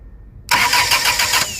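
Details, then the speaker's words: 2006 Dodge Stratus 2.4L no-crank with new PCM and starter, starter jumped directly to power wire: sharp start into steady cranking, about five even pulses a second, then whirs down; starter cranks normally, so PCM power or ground suspected. "look at that so that's start i mean sorry to the power wire it cranks"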